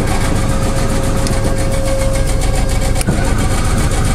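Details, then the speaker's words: Generator on a 1986 Lesharo RV project: steady strong cranking with no catch; it turns over fine but won't start, owner thinks it needs some gas; cranks but no start. "so far i haven't got the generator working i need to give it some gas but you can hear it crank"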